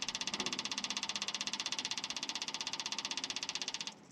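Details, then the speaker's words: 1971 International Harvester 1110 pickup, AMC 232 engine, temporary electric fuel pump feeding a rebuilt carburetor before first start: sharp even ticking about four per second that drops to a soft hum once the float bowl fills; normal priming. "you can hear the fuel pump quieted down so now it's a it's got resistance against it"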